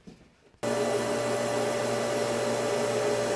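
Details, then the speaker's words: Septic pump switched on after its manual switch was moved upstairs: silence, then the motor kicks straight in to a steady, even hum with no knocks or rattles; normal pump running. "Okay, it wasn't quite to code, and it works great."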